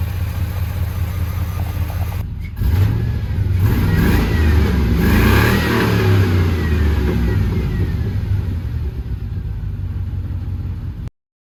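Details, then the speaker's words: Start of a 2500HD four-wheel-drive truck with 6.0 V8 and 4L80 transmission: cranks and catches, deep even revs swell and settle with no misses, knocks or rattles; sounds better than expected, healthy-running V8. "so after watching back that video this thing actually sounds way better than it should for what it is"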